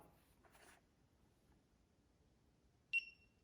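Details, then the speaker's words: Maple syrup barometric-pressure-compensating temperature probe unit: quiet room, then one short sharp high beep on power-up; the controller's normal power-on beep (beeps five times when syrup reaches 66.9%). "Once you get to 66.9% syrup, this LED here will turn red, and the alarm that you heard beep when I first powered it on, you'll hear that beep 5 times, letting you know that your syrup is ready."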